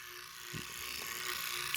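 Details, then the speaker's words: Leslie 147 bottom two-speed motor stack before rebuild, fast motor running as-is: a thin steady hum with a scratchy ratcheting rattle. It runs rough and noisy. "well it ain't gonna be sounding like this when i get finished with it oh this bad boy gonna be purring sounding quiet smooth"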